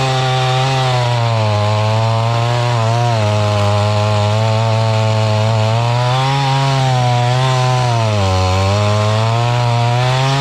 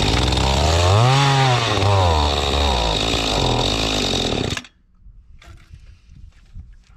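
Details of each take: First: Mantis tiller two-stroke engine from estate sale, after carburetor cleaning and with high-speed screw turned out some: high buzz holding strong speed with slight drift up and down; normal running, carb adjustment still needed. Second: Mantis tiller two-stroke bought at an estate sale, fuel system cleaned, choke on: high buzzing engine surges and hunts, then cuts out, starving for fuel because the carburettor high-speed screw is at its limiter stop; lean running.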